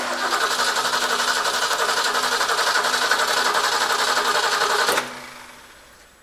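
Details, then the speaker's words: 1967 Mustang, fuel line disconnected at the carburetor into a catch can: starter spins the engine evenly for five seconds with no catch. Only a dribble of foaming, turpentine-smelling fuel; a bad fuel line starves the carb. Crank, no start. "as you can see we've got almost nothing there's a little dribble of fuel um but not nearly enough to fill the bowl up on the carb"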